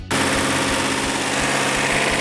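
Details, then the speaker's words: Freshly rebuilt 1971 Hemi Cuda V8 just after timing/carb adjustment: smooth even idle, steady low rumble, no stumble; exhaust checked by hand for misfire, all 8 cylinders firing equally; normal idle. "This case, I had a perfect running engine. All 8 cylinders were firing equally."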